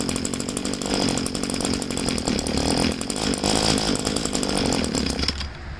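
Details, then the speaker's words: Two-stroke weed trimmer being winterized, fuel tank drained, primer bulb empty, run on choke: raspy uneven buzz sputters then cuts out abruptly; running on choke until fuel starvation stall. "Okay, I can feel that all the gas is out of the primer bulb, so I have it on choke now. I'll try to start it up again."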